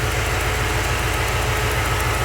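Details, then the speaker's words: 383 stroker V8 in a truck after engine repair, warm idle: smooth, even low rumble with no knocks or misses, getting smoother the longer it runs; some exhaust leaks remain, and the engine runs too cold at about 150°F. "longer this thing runs the smoother it gets more I like it but again you have to deal with some exhaust leaks and junk like that"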